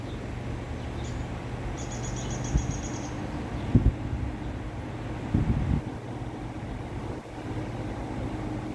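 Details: Vintage Westinghouse 20-inch reversible two-speed box fan with a venturi shroud, started on high after wiggling a suspect cord: a steady, even low whoosh and hum with no rattle or scrape, only handling bumps; it runs smoothly on high.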